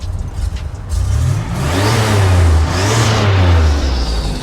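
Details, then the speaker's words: 1987 Buick Grand National with a 6262 ball bearing turbo, free-revved while parked and recorded by a microphone outside. The deep engine note rises as a clear turbo whistle climbs and fades: normal turbo spool. "Sounds really, really good. Let me give it some gas. You can hear the turbo. Ready?"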